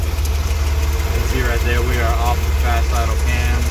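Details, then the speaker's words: Chevrolet Corvair carbureted engine, just started after pumping gas: low steady idle with even settled beat, no hunting or surging; idling normally after coming down from fast idle. "all right so we're just going to sit here wait for it to idle down almost there man all right so i got it back to idle"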